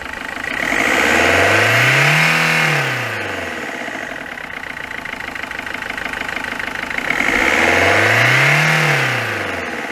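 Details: Peugeot 206 1.4 HDi at 188,988 km, with complaints of stumbling at 110–130 km/h and overheating: rough, regular diesel clatter at idle through two revs, rising and falling with speed. Points to a faulty injector.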